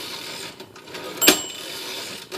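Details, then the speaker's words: Unserviced Royal HH/FP typewriter, carriage moved by hand. Sharp, scattered clicks and ticks: the escapement stepping as it should, though the machine otherwise sounds rough. "click the clicking is the escapement and don't don't pay attention to this one i haven't worked on this machine this thing sounds horrible um but it's supposed to be clicking like that"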